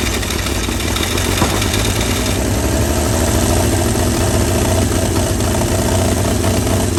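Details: 1937 Chevy truck six, sitting about 45 years, rough but steady low chugging idle with uneven firing pulses and no knocking, running on ether/starting fluid; carburetor froze up from the ether, but it runs.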